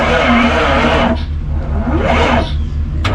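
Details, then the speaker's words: 1991 Freightliner FL70 tow truck, believed 5.9 12-valve Cummins diesel, sat about 15–20 years; cranking on jump starter: slow dragging uneven chug about four beats a second, never catches; starter not locked, batteries too weak, need new ones. "still not enough we need some new batteries"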